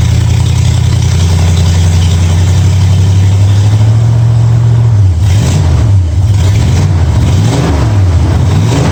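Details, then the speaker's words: 1965 Mustang V8 with new headers, timing at 12 degrees before, after turning the front idle screw about three quarters of a turn: deep steady idle bobbing gently with throttle blips, smooth and even with no misses; sounds real good. "sounds real good"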